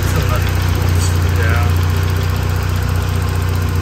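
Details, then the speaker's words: Saab 900 petrol engine after vacuum leak fixes: low steady idle around 900–950 RPM, with a faint occasional stumble; previously it idled around 1500 RPM. "we've got the idle fixed on this car idle is right around 900 950 RPM which is perfect beforehand it was up at around 1500 which is obviously way too"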